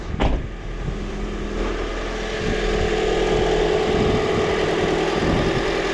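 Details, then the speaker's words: 2001-05 Honda Civic EM2 D17 engine, cold, just after a valve adjustment; a fast, uneven ticking over the idle with a faint steady tone, the same noise as before, no misfires yet, vibration blamed on blown motor mounts. "it's like the exact same noise it was making yesterday and the day before that hey no misfires but we're not nearly warmed up yet"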